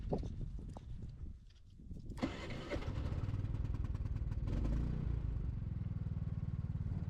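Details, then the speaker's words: Off-grid generator after repair: cranks and catches after a couple of seconds, settles into an even, steady low thrum with no misses; normal start and run. "Ooh, baby, she's running good. Let's plug something in. And it's running great."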